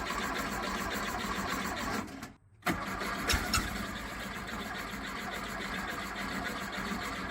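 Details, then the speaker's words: 1969 VW Beetle air-cooled flat-four, not running for months, after carburetor install: cranking catches and stumbles after short gap, then rough ragged run; timing light shows intermittent spark, suspected coil, rotor, distributor or points; hard start. "Um, we did put a timing light to it, and we're getting intermittent spark to the uh, spark plug. So, we feel like somewhere in that range is probably where our problem's actually going to be."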